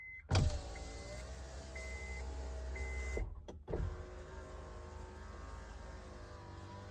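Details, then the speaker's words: 2007 Honda CR-V right rear door after door lock actuator replacement: window test gives a steady low motor hum and even whir as the glass travels, stopping cleanly; lock noise gone, window working normally. "lock unlock oh noise is gone let's test the window make sure everything's good"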